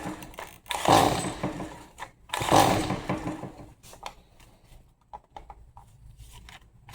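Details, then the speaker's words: Stihl MS 180C chainsaw with brand-new spark plug, unchoked: two recoil pulls, short rasping starter rips then silence, not even an inkling of firing; no-start, fuel to be replaced with fresh premium mix next. "Nothing. Not even a an inkling of wanting to fire."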